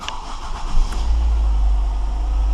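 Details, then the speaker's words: 2007 Ford Focus after replacing the engine and transmission mounts, which had made the car rattle badly at start-up: engine catches and settles into a deep, smooth, steady idle with no rattles or clunks. "I can tell this thing is smooth that is one smooth focus I'm telling you"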